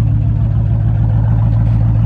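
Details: Roush Mustang with a 4.6 V8 and 124,000 miles at idle: loud, low idle with a stumbling, uneven pulse that hiccups now and then. This is a misfire; tampering by a previous owner is suspected.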